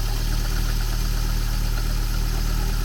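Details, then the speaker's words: Porsche 924, thought unused for about 10 years, just got running: steady, deep idle sitting a little high, no clear belt chirp; idling high. "it's odling a bit High see if it moves"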